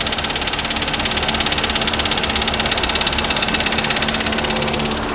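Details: Waterlogged MG Hector petrol idling with warning lights: hard sharp metallic knocks about three per second over uneven stumbling idle; bent connecting rod on one piston causing knock and misfire, fixed by replacing piston and rod.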